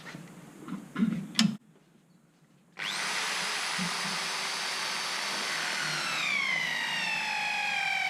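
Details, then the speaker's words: Teknatool ornamental turning attachment drilling demo: steady high whine rising as bit cuts deeper, slight pitch sag under load; less vibration than before but drill still loading the drive box. "that bit less vibration but you can still hear it putting load on the drop box right"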